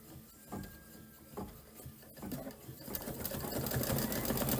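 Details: Embroidery machine stitching after swapping out the dull needle; soft quick rhythm about two and a half stitches a second building to a steady hum; smooth, even stitching.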